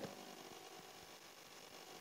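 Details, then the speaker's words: Polytron two-door semi-inverter refrigerator, lower section not cooling: defrost timer gives a loud, harsh raspy buzzing with no clean rhythm; timer gear stuck and not advancing, timer replaced. "Suaranya luar biasa, ini nggak bener."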